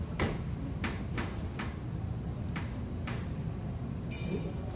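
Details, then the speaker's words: Honda CR-V front wheel rocked side to side by hand: six sharp, irregular metallic clunks from a loose lower control arm bolt. The new rear shock, bushing and stabilizer link had not stopped the noise. "Aba, may maingay mga boss 'ag inuga ko itong gulong. Pakinggan niyo."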